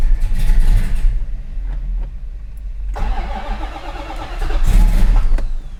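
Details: 1968 Dodge Charger V8 after a rear fuel leak repair: starter cranks it at a steady rhythm but it never catches, no fuel reaching it yet; cranking without starting, no fuel.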